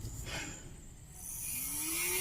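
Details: Cheap mini DC motor after repair of a broken terminal leg (one of its two +/− leads snapped, then bent back into place): quiet whir rising smoothly in pitch as it spins up, steady and clean with no rattle; motor runs fine.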